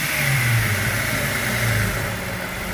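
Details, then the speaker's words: 2004 Jeep Grand Cherokee WJ that stalled at idle, throttle body partly cleaned: revs drop off the throttle and idle sags low and uneven before steadying, not stalling; less bad than before, still needs more cleaning. "Now it's not doing it as bad. I still think it needs some cleaning to do."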